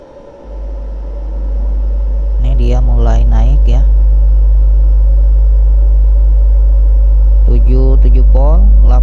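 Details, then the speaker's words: DF900D class D amplifier kit (claimed 750 W) with volume raised while measuring supply around 8–13 V, about 1 A: booming bass with harsh smeared bursts on peaks, distorting; owner suspects the power supply is dropping. "Ini udah berebet suaranya nih. Udah nggak karuan ini suaranya."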